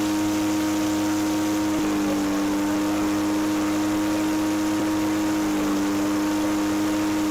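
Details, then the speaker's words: 20-year-old Echo PB413H backpack blower with aftermarket Chinese carburetor at full throttle, about 6259 rpm versus 6400 spec: high steady scream that sags briefly twice; slight speed variation, owner attributes it to the Chinese carburetor. "All right. 6259, it's supposed to be 6400. You know what? This thing's 20 years old, 62, 63. Because of the Chinese carburetor, you can start this up 3 times. You're going to get a little bit of variation."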